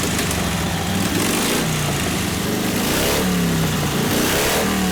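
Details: 1952 Harley 74ci panhead with rebuilt top end and Linkert carb, hot, full choke: loping V-twin revs up and falls back unevenly on each throttle blip, pulling slightly hesitantly, consistent with a lean carburetor.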